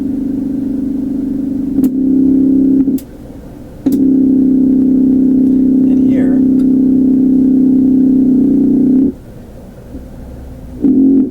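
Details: Antique Canadian Pye 39 tube radio, tone switch stepped through positions one to four: a loud, steady low hum drowns the audio at position four; cause suspected, not confirmed.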